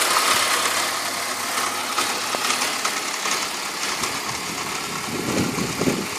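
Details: BMW E46 idling with irregular light ticking, roughly four per second, over a steady idle; owner says this noise isn't normal compared with other E46s, cause unknown.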